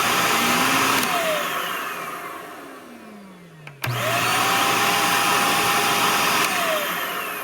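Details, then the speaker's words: Power head brush roll starts turning about one to one-and-a-half seconds after the motor whine starts and climbs, recorded with the microphone next to the power head after deep cleaning and reassembly; the owner is unsure whether this delayed brush-roll start is normal. "there seems to be a delay or a lag when i hear the motor start up here and when the power head starts um turning"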